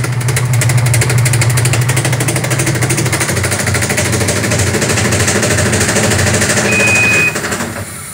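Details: Sharp automatic washing machine, very noisy spin-dry: spinning drum with rough, uneven knocking about three per second over a low rumble; defective tub assembly.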